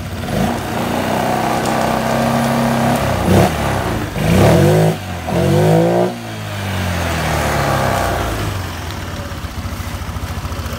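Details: Flood-damaged Honda Vario scooter that stumbled badly on throttle, after water-damaged TPS was replaced: clean rev rises and falls with no stumble or hesitation. Normal running after TPS replacement.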